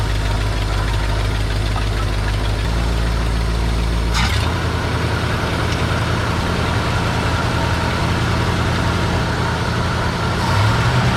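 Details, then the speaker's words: 1955 Buick Super old straight engine running on its own again: deep, steady, even rumble at idle and when revved, with no knocks or misses, smoking a little at the rear; normal idle. "It cranked right up. And she sounds pretty good. Even when I give her the onions."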